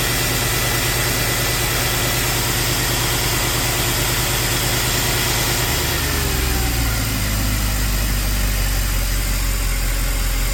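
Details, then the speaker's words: Possibly 2008 Mercedes CLK63 AMG, M156 6.3L V8, first cold start after new PCV, coils, injectors, valve cover gaskets and fresh oil: fast idle drops smoothly to a steady lower beat, no tapping or rattle; no cam phaser issue. "running like a sewing machine no Taps on Startup which is nice that means there's no uh phaser cam phaser issue or rattle or anything like"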